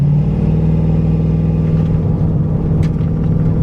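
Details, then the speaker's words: Grand Prix GXP with LS4 (about 300 hp), Holley Terminator X and swapped 2005 Cadillac DeVille 4T80E transmission that won't shift: deep, heavy drone labouring under throttle without climbing in pitch; sluggish, bogging acceleration, cause unclear. "it just feels like it's bogging you can hear it it's a little bit better but it should I mean it should just"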